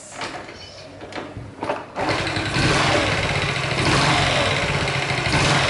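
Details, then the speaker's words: Honda Chaly engine, previously rebuilt: catches after a few cranks, then idles with a light, fairly regular rattle of about three or four ticks a second over the exhaust; the source is unknown, and the cam chain tensioner is to be checked. "I don't know! I am not sure where, but there is a strange noise."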